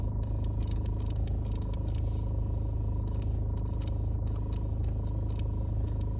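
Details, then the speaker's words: VW Passat B6 3C (2006–2010) with Climatronic fan running; irregular light clicking under the dashboard over steady blower hum, as air-flap servomotor V159 is stuck and won't open or close (no heat to passenger footwell). Fix: replace its potentiometer. "îl auziți aceste zgomote din bord de sub planșa de bord să știți că e o problema cu acest motor aș vrea 159"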